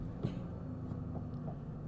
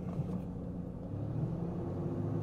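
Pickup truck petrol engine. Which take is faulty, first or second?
second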